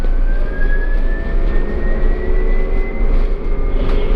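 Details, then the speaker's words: Foothill Transit Proterra BE40 battery-electric bus accelerating: very quiet ride, thin motor whine climbing steadily in pitch over low road rumble; healthy electric drive pulling hard. "The ride is very quiet because they're electric, but these things pack a heck of an acceleration, so hang on tight."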